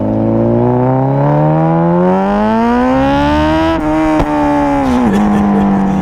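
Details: Honda CBR1000RR with custom undertail exhaust fabricated from an old can: smooth, clean rev climbing steadily then easing off, no popping, rattle or blow-by; healthy, well-sealed exhaust note.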